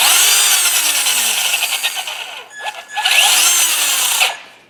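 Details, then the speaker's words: New brushed motor in a Traxxas Slash, replacing a Titan 12T with worn bushings, gives a clean whine that climbs and falls with each throttle burst, with no rattle, scraping or stutter; it is healthy. "that sounds really nice that sounds a lot better than other worn out ones so that engine will last a while hopefully"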